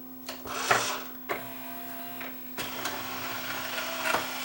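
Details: Yamaha CDC 705 CD changer after disc drawer belt replacement with a non-original, more elastic belt: short bursts of smooth motor whirring as the drawer travels, starting and stopping cleanly without slipping or grinding; drawer working normally.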